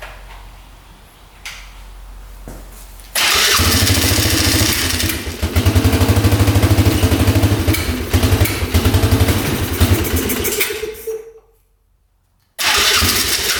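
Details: 1997 Polaris Magnum 425 6x6 ATV: single runs loud with irregular pops, dies, restarts still popping back through the carb; engine otherwise smooth; owner guesses unprimed fuel pump running it lean.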